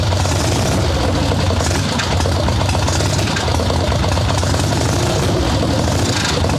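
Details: Harley ironhead Sportster XLCH chopper V-twin, Mikuni VM38 carb, idle tuning on fresh plugs, cold wet day: loud, uneven, lumpy low rumble, loading up on fuel and rough; plugs still dark, owner suspects more than the carb.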